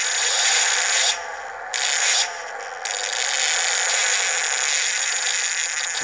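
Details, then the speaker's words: Brushless motor with sensors under an early PWM mark-control synchronous torque algorithm: harsh high-pitched whine with gritty rasp and sudden level drops as the mark is brought in. It sounds rough and the code still needs refining; controller tuning is poor. "Now, I need to refine this because it's obviously sounding a bit rubbish."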